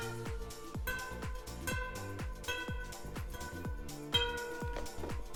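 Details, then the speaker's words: Radial-laced bicycle wheel being built: about ten crisp plucks, each ringing bright and high then dying quickly, showing spokes are tight; loose spokes sound dull and dead. "that high pitch tells you that they're tight and they'll feel dead and duller not as bright a tone when they're not tight enough"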